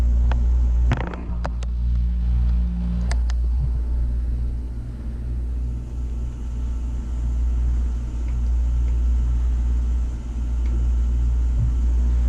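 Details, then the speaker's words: Takagi T-H3-DV-N tankless water heater on first startup, water around 135°F: deep steady low hum under the burner roar, swelling at high input; low-frequency vibration, cause unclear. "there's a little bit of a low vibration on this thing i don't know if you can hear that"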